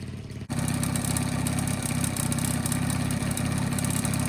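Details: 1985 Honda Spree two-stroke scooter, after cleaning out a carbon-plugged muffler that had caused bogging and no power: starts quickly, then a steady buzzy run picks up cleanly on throttle with no stumbling or misfire; healthy.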